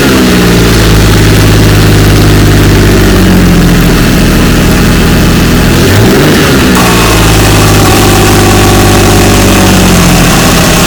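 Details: 2004 Ford Ranger FX4 4x4 4.0 V6, 275,000 miles, after ignition coil and plug wire fix for misfire code: steady even idle climbing smoothly through a couple of revs and settling back; cylinders even, no obvious miss.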